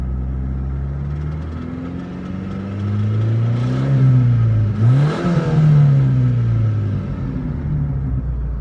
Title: Стук гидрокомпенсаторов